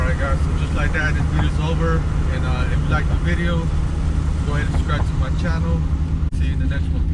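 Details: 2001 Ford Mustang Roush after installing new MSD Blaster ignition coils and spark plugs to cure a misfire: steady, even idle with a smooth low rumble and no stumbles or skips under background music. Engine running clean.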